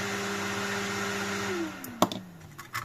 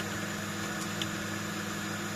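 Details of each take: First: AMD Phenom motherboard powered on with the CPU cooler not yet fitted: loud, steady high-pitched fan whine, then spool-down; fan running at full speed, possibly because of the CPU. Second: Flea-market desktop PC with Asus P5QL motherboard, 2 GB RAM, CPU at 31 degrees, booted: steady, even fan whir with constant low hum, no rattles or surges; running normally.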